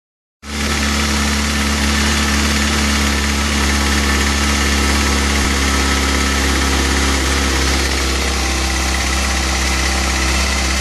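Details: 2013 Kawasaki ZX-6R idles steadily with a quick, fairly loud ticking over the running sound, which concerns the owner.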